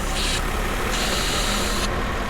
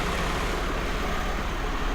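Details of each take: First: 1995 Mercedes SL280 with erratic warm idle and hot-start problems. With the vacuum pipe pulled off the top of the intake manifold to induce an air leak, a sharp hiss sounds over the idle and the idle starts to hunt. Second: 1995 Mercedes SL280 (25,000 miles) idling smoothly and evenly after repair of a fuel leak into the intake manifold that was making it run rich, hunt at idle when warm and start poorly hot; steady low drone with no hunting, and it now starts on the button.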